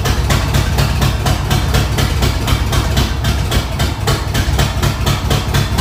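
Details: Ford 302 V8 after engine swap, first start: heavy low rumble with uneven lumpy thumping about twice a second that never settles; runs rough, owner suspects a wiring fault, cause unconfirmed.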